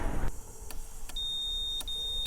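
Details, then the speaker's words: Porsche 944 fuel injector pulsed directly while the fuel pump relay is jumpered so the pump runs continuously: crisp single clicks about every half second over a steady beep; the injector is firing cleanly. "So, if I give this injector a bit of a zap. There you go. That's working quite nicely."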